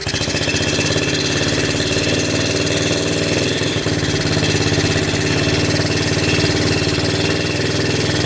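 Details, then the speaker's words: 1972 Honda CT70 single with bogging problem, timing checked against F mark: runs rough and flat, sluggish even at full throttle, no crisp pickup; ignition about half an inch late, retarded timing, points gap to be adjusted. "Yeah, we're not even close. No wonder this thing's not running right."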